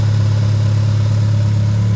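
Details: Mitsubishi Evo 8 turbo after head gasket, ARP head studs, water pump, thermostat, flex pipe, manifold and oil pan gasket work: steady, even low idle rumble with no knocks, misses or hunting; engine running healthy.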